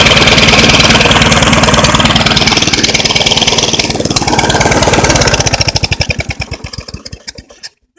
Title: HELP!! Rough idle